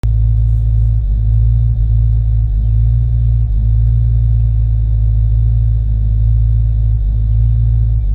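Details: 1993 Mustang GT 5.0 V8 idle sags briefly every second then recovers, misfire at idle and light throttle, fine accelerating; new plugs, wires, injectors, fuel filter and pump fitted; owner suspects IAC, TPS or EGR.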